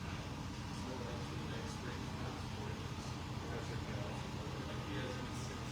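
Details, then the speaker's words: Air suspension with IE Rovers, watching live height-sensor and valve values on a scan tool: steady, even low hum without surging or knocking as the compressor switches on and pumps up; normal compressor operation. "That's the low voltage side of the system. So now we hear the compressor is on."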